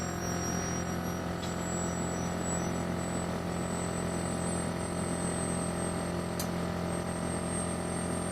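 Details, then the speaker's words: Vacuum furnace pumping down from about 500 toward 100 torr: steady low drone from the roughing pump plus a rising high whine as the small turbo pump spools up. No rattle; normal operation. "And listen to the noise. I mean, that noise is normal. That's the roughing pump that you're hearing. You can also hear the turbo pump's high-pitch sound. That's normal."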